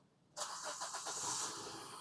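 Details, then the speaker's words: Maruti Suzuki SX4 after replacing faulty ECM that caused crank-no-start with no check-engine light: several quick cranking pulses, then the engine catches and settles into a steady run; starts normally. "Selfie शुरू करना गया। Car सही ढंग से शुरू करना गया।"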